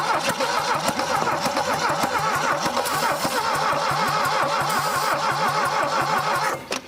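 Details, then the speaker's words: 1968 SAAB that sat for decades in woods, engine previously locked, rings stuck: slow, even cranking at about five or six strokes a second with no firing after oil put in cylinders. Compression only about 60; low compression, no start. "there at first I thought it was going [Laughter] to come on girl thank it just don't have enough when we had that oil in the top of it but after that it kind of stopped so after we put a little bit of oil down in these cylinders the compression come up just a little bit but we're still only at 60 on this one"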